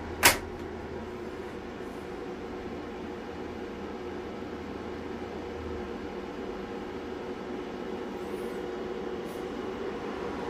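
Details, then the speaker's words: Solar inverter at 50% solar mode and 60% load, PV input about 466 V open-circuit from 10 panels in series, 52-57 dB: the MPPT cooling fans kick on with a soft, steady whooshing hum and no ticks or rattles. Normal fan noise. "oh and um sure enough it was the mppt fans that one just kicked on now listen to this"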